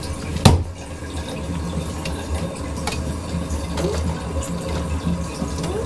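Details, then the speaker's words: Toilet fill valve after installing a water hammer arrestor: steady hiss of refilling tank, then valve closes with no bang or pipe shudder, water hammer fixed. "much better well no more banging"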